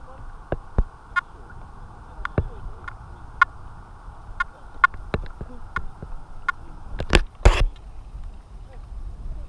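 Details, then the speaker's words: Detector Pro Pirate metal detector switched on with the coil in saltwater, which it is not made for. Chatter was heavy at discrimination zero; at discrimination 7 the threshold is mostly quiet, with scattered short beeps over splashing water. "guys so having it on seven the she is relatively quiet now"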